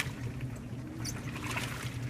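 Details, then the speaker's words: 2012 LG top-load washer on heavy-duty cycle, warm water, heavy soil, washing 5–6 bath towels, Nike tennis shoes and Crocs: low sloshing churn with scattered faint squeaks as the shoes rub the tub during agitation, normal. "So I'm washing like 5 or 6 bath towels, washing a pair of Nike tennis shoes and a pair of Crocs. So you can really hear them squeaking around."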